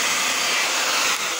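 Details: Hair dryer reassembled after a fix for slow running: smooth, even high-pitched airflow rush with no rattle or dragging; motor runs normally.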